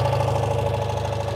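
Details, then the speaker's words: 1985 Citroen 2CV6 Special two-cylinder barn find, first run after long storage: even, steady putter with a low regular pulse and no knocks, a healthy idle. "put down it that sounds really nice yeah it does sound sweet doesn't it we finally got it got it going well done"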